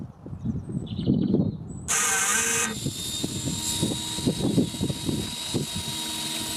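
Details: DIY 16V lithium pack made from old Toshiba laptop batteries powering a worn 12V 5A pump (likely drawing about 6A) to pump kerosene from an oil tank; motor kicks in with a high steady whine then settles to an even hum; normal pump operation.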